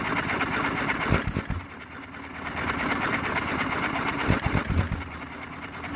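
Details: John Deere 1 1/2 HP hit-and-miss engine, first start after rebuild: firing bursts every few seconds with quiet coasting between, steady governed hit-and-miss rhythm; normal running.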